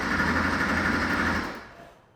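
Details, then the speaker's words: 1980s barn-find sports car, ignition on while listening for the fuel pump: fast, buzzy relay chatter like a sewing machine. It persists after swapping in a new relay; relay seems shorted and scotch-lock wiring was found. Cause not yet confirmed. "I can hear the relay it sounds like the relay is making a funny clicking noise"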